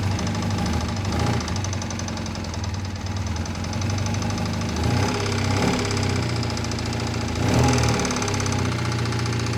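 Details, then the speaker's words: 2001 Triumph Bonneville T100 starting after long layup: heavy irregular knocking over a rough idle at about three to four knocks a second, initially running on one cylinder; loud internal knock of unknown cause after fixing a no-start. "knocking terribly though awful knock oops so it starts it starts"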